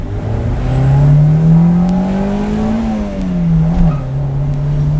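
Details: Freshly rebuilt Honda D16Z engine (175 psi compression before first start) on its first drive, run under load with deceleration to seat the rings: clean note climbs smoothly through the revs, eases off and pulls again, no knocks; healthy.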